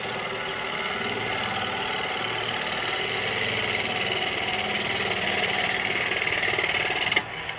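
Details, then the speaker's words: Wood lathe turning an ash tray blank with a carbide chisel after raising speed to about 11; even, continuous hiss with no thumping bounce, then the tool lifts off; smooth, clean cut. "you really hear the difference and see the difference so I'm not getting all that"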